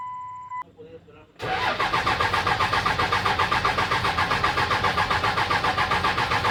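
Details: Dodge Ram 2500 with 5.9 L 24-valve Cummins diesel, codes P1689, P0237, P0230, P0177 stored, parts already replaced without effect: starter turns engine steadily about four pulses a second but it never fires; crank no start.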